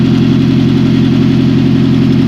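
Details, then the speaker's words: 1999 Toyota Celica GT, 2.2L, 5-speed manual, FWD, 135,424 miles, new cylinder head, just started: loud, raspy idle with a hard, blatty puffing edge; heavy exhaust leak because the exhaust manifold is not fully bolted on. "Got one heck of an exhaust leak, but just got it running here. Oh, well, that would probably be why."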